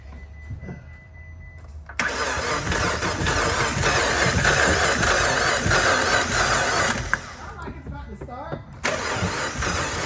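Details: 2015 Fiat Abarth towed in after driving through a large puddle, water suspected in the turbo, after the plugs were swapped: the starter churns steadily about five seconds, stops, then cranks again without firing. Cause suspected, not confirmed.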